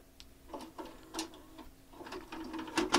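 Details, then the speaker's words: JVC HR-A592U VHS VCR with load/eject fault, after unplugging and reinserting the tape before replugging: tidy clicks and short motor whirs with no grinding or stalling, taking the tape normally. "there it goes takes your tape no problem"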